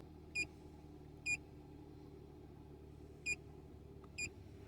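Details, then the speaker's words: 2006 Toyota RAV4 2.4-litre four-cylinder after replacing faulty cylinder 3 ignition coil pack (P0303 misfire): steady, even low-hum idle, no misfire or shaking; four short beeps overhead. "one two three four four cylinders not misfiring anymore engine is not shaking at all ignition coil pack was the problem"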